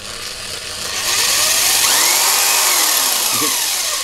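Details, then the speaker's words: Mains-powered electric impact wrench (rattle gun) with a speed-control trigger: the motor spins up fast to a steady high whir with a smooth pitch sweep as the trigger is eased. Normal running. "well that certainly seems like it's got some bloody juice behind it I can feel the whole thing"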